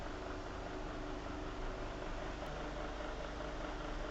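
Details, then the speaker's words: Venol household fan after repair, noise fixed with a small piece of pen cap: steady even whoosh with constant motor hum, no ticking or blade strike; running clean. "vou ligar aí ó tá vendo parou aquele tá tá tá aí"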